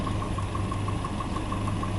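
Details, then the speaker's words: 1988 Volvo 240 (244) red block engine, bought used and checked before a 400-mile drive: steady idle with a light, even tick about six or seven per second; owner suspects piston slap, not sure. "so probably from here you can probably hear the piston slap a little bit better or well i hope it's pissed and slap um i'm not 100 sure but to me it sounds very"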